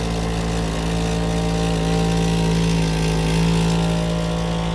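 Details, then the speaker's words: Plymouth Superbird with aftermarket Vintage Air climate control: steady low droning hum that wavers in pitch when one pump is blocked off. Two vacuum pumps working on the same hose. "Do we need two? No, we shouldn't need two of them. Well, let's shut them both up. So they both work on the same... On the same hose. Because if I plug this one, you can hear that one change."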